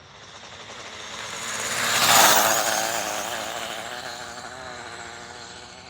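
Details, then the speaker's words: Dual-motor electric RC car held at full throttle on a speed run, its first drive in a long time. High-pitched scream with a fluttering, uneven rasp as the tires bounce, running super choppy; owner suspects the tires: choppy power under full throttle. "trims that was me holding Full Throttle for ever mhm but it was super choppy the tires were bouncing I'm sure you could hear that"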